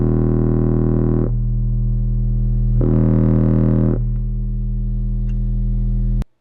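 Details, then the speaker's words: Four-channel car amp under the driver knee panel of a Dodge Ram driving 6x9 front and 6.5 in rear speakers, 40 Hz test tone: clean deep hum turns buzzy and harsh, then clears; amplifier clipping from gain set too high. "As you hear that distortion, back off the gain slightly so you hear that clear 40 Hz hum."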